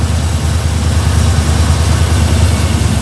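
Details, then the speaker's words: 1956 Chevy with what looks like a small-block V8 at idle; deep steady rumble sitting noticeably fast, idle raised by a vacuum leak at a loose, oversized hose needing a smaller hose; idle about 800 after adjustment. "oh little bit of vacuum L right there can hear it yeah so we really do need a yeah we need to get a smaller hose for here"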